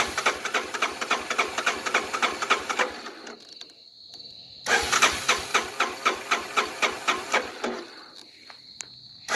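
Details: 1985 Honda Big Red 250ES, cold, sat long, hasn't started in a while, tank believed full, oil good: two long bursts of steady cranking at about four turns a second with a pause between. The engine never catches; crank, no start.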